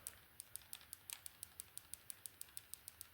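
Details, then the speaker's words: Nintendo Switch Lite R shoulder button after replacement during refurbishing, restoring lost click: crisp, sharp button clicks, about six a second, sounding normal. "did you hear the click in there now so I'll just put the spring in and we can see what it properly sounds like"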